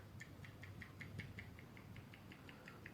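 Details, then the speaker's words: Vivo X200 Pro / Samsung S23 Ultra phone: quick even light clicks about five a second when tapping the top of the screen, unpowered optical image stabilizer rattling loosely; owner considers this much rattle beyond normal. "Вот это вот, по-моему, уже не норма, потому что берёшь вот так"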